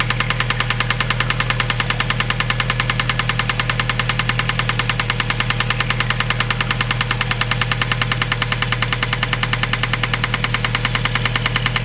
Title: 03 Mazda 6 2 3L Knocking Sound